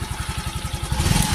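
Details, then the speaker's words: Yamaha FreeGo scooter that died totally after hitting a pothole, repaired broken wiring (ground signal lost) and replaced fuel pump: quick even pulses about twelve a second settle into a firmer revving run; starts and runs normally. "nah motornya udah hidup ya nih motornya udah hidup"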